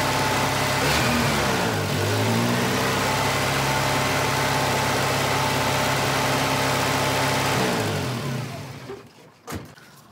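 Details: 1985 Volvo 240, LH2.2 injection (B230F-family engine): with the idle air control motor's blue/white wire grounded, the engine dips briefly, then holds a fast idle until shut-off; high idle from a faulty idle air control valve.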